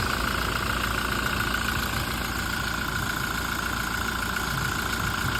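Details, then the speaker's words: Toyota Fortuner diesel after alternator pulley replacement: steady idle with even clatter and no squeal or chirp from the belt area; noise gone, normal idle. "Toyota Fortuner, wala na yung ingay. Ayun, palitan na."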